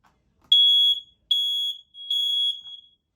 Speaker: Here, I'll hold down on this one, see if everything else is going off just fine. Sounds like they are.